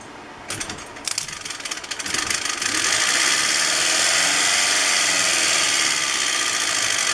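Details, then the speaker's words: New electric motor for a 1968 Fiat 850 Spider EV conversion, bench-tested on a battery straight out of the box: fast ticking clicks at start, then a steady high hum; the clicking may be an internal fan, unconfirmed. "A little noisy. I'm sure you can hear that clicking. It's a little noisy. I don't know if that's a fan inside."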